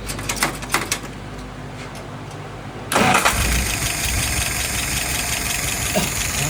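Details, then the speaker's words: Restored metal shaper engine with rebuilt, adjusted carburetor: short crank, catches cleanly into steady even idle, no stumble or misfire; no leaks, float set right, idle about 660 rpm, fuel pressure 2.75, vacuum about 23; healthy start. "All right, no leaks there. All right, float set right. Current numbers are idle RPM is about 660."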